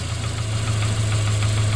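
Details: 2009 Subaru Forester 2.5 at idle: steady deep idle with dull rod knock that vanishes when the rear cylinder's plug wire (number 3, believed) is pulled and returns when reconnected, identifying the worn rod.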